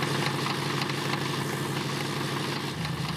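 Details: Rough idle on a wagon after crankcase cleaner was added for suspected stuck lifters: fast, uneven tapping knock riding on the engine note, internal but not pinned down; smog pump also noisy; cause unconfirmed.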